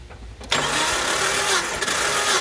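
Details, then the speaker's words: Jeep Cherokee XJ 4.0 inline-six, compression test with throttle wide open: starter catches and engine spins over steadily and evenly; cylinder one about 160 psi, healthy compression. "now look at that we're teetering at about 160 psi cylinder one 160."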